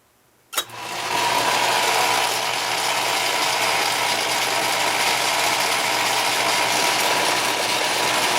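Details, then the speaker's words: Atlas ten-inch lathe with a newly retrofitted quick-change gearbox, running power feed toward the headstock: loud gear clatter over a steady whine, slightly quieter in reverse; owner suspects a worn die-cast compound gear or the die-cast tumbler gears. "There's one gear inside the gearbox that is still die cast, a compound gear, and it's pretty worn, and I'm kind of wondering whether that's not the cause of the noise or whether it's the tumbler gears that are causing it, because they're still die cast."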